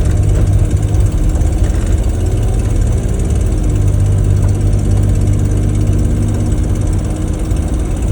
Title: 280GE. Ticking noise.